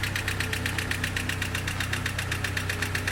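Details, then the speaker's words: 1976 Datsun 620 pickup (Chinook Gazelle camper) at idle: fast, even diesel-like ticking clatter over steady idle, seeming to come from the top end; owner suspects valves or head. "but I think it's coming from the top end. Let me shut it off for you. Alright, as you can see, there's a problem with the engine. I'm pretty sure it has to do with the valves, the head."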